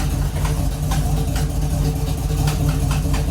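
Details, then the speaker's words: 1969 Camaro V8 after sitting 36 years, first start-up in gear: deep rumbling idle with sharp puffing ticks about two a second from an exhaust header leak; new gasket installed but top believed torn. "it's got a really bad exhaust leak it's it was a new gasket but I guess the top is torn"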